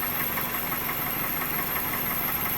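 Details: 2001 Toyota Corolla 1.8 after fixing a cylinder 3 misfire: quiet, even idle with no stumble or skipping beat, misfire gone. Normal idle.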